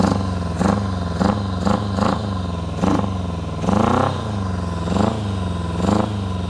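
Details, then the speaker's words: 1999 Kawasaki ZRX1100 four-cylinder, carbureted, airbox removed, first start after sitting 12 years, full choke: lumpy uneven idle with sharp throttle blips, firing on only three cylinders; misfire on one cylinder, cause unknown. "It's only hitting on 3 right now, but it is running."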